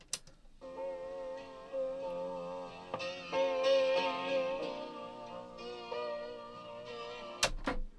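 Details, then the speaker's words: Panasonic RX-5025 radio cassette deck with a brand-new cheap multipack drive belt: a calibration-tape sine tone wavers like a siren, giving wow and flutter from the slipping belt. "that sounds more like a fire engine siren or something than a than a standard a standard sine wave signal"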